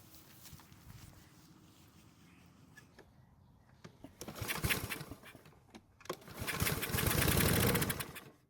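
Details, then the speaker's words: Troy-Bilt mower that won't start after several months of winter storage; spark confirmed, gas poured into carburetor throat for test start. Two short bursts of firing die within a second or two, showing enough compression to run. "and luckily for us it started and ran for a second which is great news that means we have enough compression from the engine for it to run"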